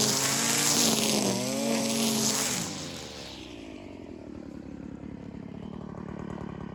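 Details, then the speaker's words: Stihl FS 56 brushcutter after seized-engine rebuild with new cylinder and piston, no carburettor adjustment: two-stroke screams at high revs then settles to a fairly even idle; running cleanly. "Sprzęt jest jeszcze nier rozgrzany przez to do końca nie pracuje poprawnie jak się zagrzeje to Zobaczcie sami to wszystko wygląda znacznie lepiej"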